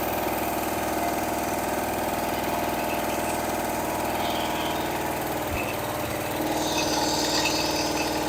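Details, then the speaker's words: Rebuilt Pontiac 400 V8 with a shop carburetor, bolted-on mufflers without gaskets and 30-weight oil, not started for a week: a smooth, steady idle with an even rumble and quiet lifters, no valvetrain ticking; runs well and doesn't overheat. "valve lifters you listen to it yourself and nice and quiet it idles nice Run's good doesn't overheat and it's ready to go"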